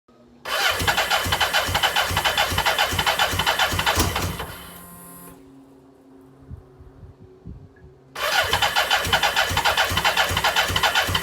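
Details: BMW K100 motorcycle: starter spins the engine in two long bursts with even compression beats, but it never fires or picks up. Crank no-start.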